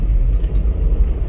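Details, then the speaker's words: Toyota Land Cruiser 80 series with a 4-inch lift and the previous owner's unsatisfactory double-cardan driveshaft: deep droning vibration when off the throttle, worst downhill, fine under acceleration; blamed on changed driveshaft angle from the lift. "i don't want that vibration but acceleration right here no problem everything's good as soon as foot's off the gas"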